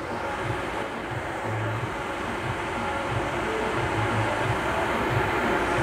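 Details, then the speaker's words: MasterTemp pool heater after bypassing a water-compromised sensor switch that made it fire 5-10 seconds and shut off: steady, even burner roar holding without cutting out, good gas pressure; problem resolved. "you can now hear that the heater comes on it stays on we have a good consistent gas pressure so everything is looking excellent and problem resolved"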